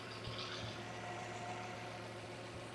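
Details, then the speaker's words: 2009 Land Rover LR2, Volvo 3.2 L inline-six, 198k miles, sat for weeks: quiet, steady low hum with an even beat and no ticks or knocks; smooth normal idle, possibly losing some fuel pressure. "I mean, there's no ticks. When I started to load it on the trailer, it had been sitting for a few weeks. There was no noise out of the engine on startup. This thing is smooth as can be."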